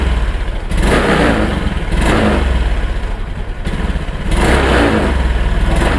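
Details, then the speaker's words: Honda Beat Pop fuel-injected scooter: engine surges unevenly, hesitates and dies when throttle is opened. "nah jadi motor ini kendalanya saat di gas dia mati ya teman-teman tadi sudah bisa dilihat"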